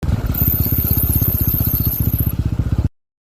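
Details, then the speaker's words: TVS Apache RTR 4V motorcycle with fairly new brake pads: thin very high-pitched screech from the red disc brake over a chugging engine while braking. "what you just heard is brake noise coming from the red disc brake while applying the brake"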